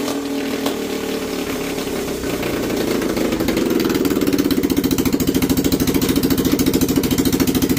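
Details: Small single-cylinder engine, carburettor replacing throttle body/injector, on 20% ethanol petrol, slow to self-start: popping about three and a half beats per second, slightly uneven and missing; owner blames carb float overflow, mismatched wiring and ethanol.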